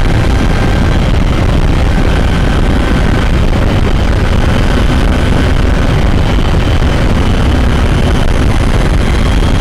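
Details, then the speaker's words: 2012 Toyota RAV4 EV with Tesla drive motor at about 65 mph highway cruise; steady rough grinding roar heard in the cabin beneath road noise from a failing drive motor; Toyota approved warranty replacement of the motor. "uh it really grinds in the cabin and gets very annoying I hope it gets fixed"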